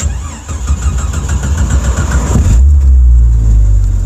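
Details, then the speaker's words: Jeep Cherokee XJ after rebuilding the neutral safety switch for codes P0700, P0705 and P0758, codes erased, restarting after a first no-start: steady cranking chug around four per second, then the engine catches and settles into an even idle; starts normally. "it started let's let it run for a second cuz I didn't want to start for a second"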